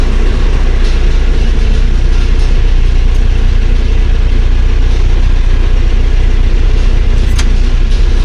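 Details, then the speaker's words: Claas Dominator 48S combine diesel, cold start at about +5°C after four months standing, old battery, started on the second or third crank: a deep, steady, even idle chug with no knocks. The oil is cold and oil pressure rises slowly; no charging. "працює ну масло холодне помало піднімає немає зарядки"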